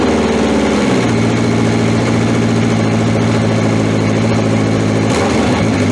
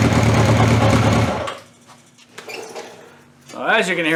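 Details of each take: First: 1981/82 Honda CB750 K four-cylinder motorcycle restarted after battery refit, about two hours after the last run (sort of a cold start), fuel on; catches and settles into a steady, even idle with no knocks or rattles. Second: Cold start on a 1981/82 Honda CB750 K four-cylinder with five-year-old oil (300 miles) and old, stale fuel; fuel tap left off, so it runs lumpy, stumbling, sagging and picking up, then dies away; stops stumbling once fuel is turned on.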